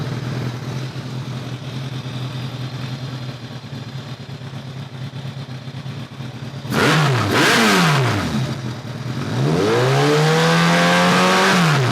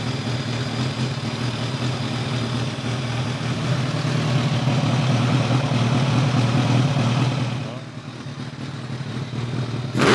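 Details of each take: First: 2002 Kawasaki ZRX1200R four-cylinder with Keihin CVK carbs, after carb work with one carb's vacuum problem plugged off: steady low idle, then two clean revs that climb and fall back smoothly with no stumble, running even and crisp. One side still slightly light on sync; some decel popping may remain. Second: 2002 Kawasaki ZRX1200R with Keihin CVK carbs, sat a while, started with enricher: hums evenly, sags as the throttle closes, then a sharp pop; runs better but still has lean deceleration popping from an open carb vacuum port.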